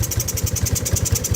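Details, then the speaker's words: 1985 Yamaha Moto 4 80cc ATV, choke on, idle just adjusted: small engine with a sharp puffing tick on each firing pulse, about ten a second, from an exhaust leak; carburetor also needs cleaning, may stall. "It's gonna stall because the carburetor definitely needs to be cleaned, and it's got an exhaust leak. You hear that exhaust leak."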